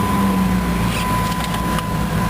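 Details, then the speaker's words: 2004 Jeep Grand Cherokee Columbia Edition, just started on a jumper box after dead battery: steady even low rumble, no knocks or misses as it catches and idles; normal idle after start. "All right, we got her started."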